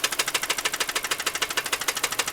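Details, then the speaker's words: Car engine at idle, microphone near the block, after three days of owner repairs, small oil leak visible: fast steady tapping about ten knocks per second, loud close up; knock cause unclear. "A lot of knocking. Like I said, I've been working on this car for like the past 3 days."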